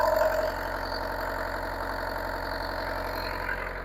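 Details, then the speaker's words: Bobcat 334 excavator diesel started after an oil change with a new filter and about 8 quarts of oil, checking oil pressure: steady, even idle clatter with no knocks or misses, no leak, sounds good; normal diesel idle. "Make sure the oil pressure is coming up. Sounds good. No leak."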